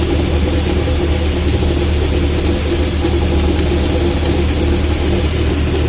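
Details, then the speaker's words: VAZ classic (2101–2107) rear axle shaft bearing heard with the car on a lift, engine running and drums removed: a steady low drone with a mid-pitched hum on top, easily mistaken for a humming differential; worn axle shaft bearing. "Такой гул вот издается, надеюсь, слышно."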